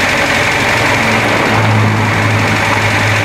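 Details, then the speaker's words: Renault Trafic idling after an oil change with 20W50 agricultural oil: steady, even low hum at the current idle setting with no misses, hunting or knocking. The earlier noise is gone and the start-up clack was thought normal after the drain. "Donc là, comme tu entends, c'est le ralenti tel qu'il est réglé maintenant."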